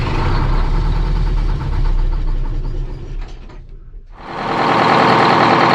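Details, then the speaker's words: Boat diesel (Renko) restarted after an oil change and a fuel leak fix, with the fuel return and supply reconnected: churns steadily, dips nearly silent, then catches and settles into an even run after cranking to self-bleed; good oil pressure. "ended up just cranking it a few more times and fired up they're pretty good at self bleeding the throats got good oil pressure now happy days"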